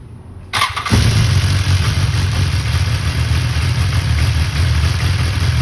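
Engine fires up and settles into a busy idle with a light, fast chatter over the exhaust note, possibly a rattling cam chain.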